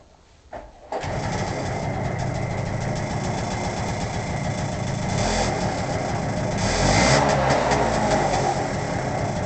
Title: PA50 Ticking noise